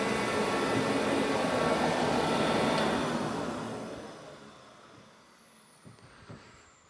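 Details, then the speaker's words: Forced-air garage heater that heats the air fast, normal running: a steady loud roar of fan and burner with an even hiss and an annoying high-pitched squeal, then tailing away. "it's not even so much the noise because the overall noise isn't really that bad it's the pitch of the noise for me that gets really annoying that like just high pitch kind of squeal"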